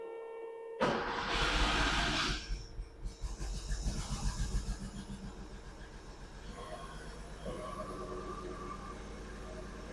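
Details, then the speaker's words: 1976 Porsche 911 with a cold hard start and rough running, restarted after insulating the rubbing Pertronix signal wire: it catches into a lumpy, uneven idle with stumbling pulses, still misfiring, so that was not the cause. "nope that was not it because it misfied misfired misfired"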